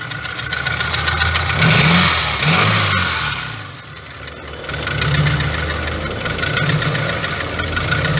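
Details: 2.0 Jetta/A3, unstable and stalls at lights, possible fuel pump issue: engine revved rises and falls, dry and ragged with an uneven patter; cause not pinned down, fuel pressure, compression and codes to be checked.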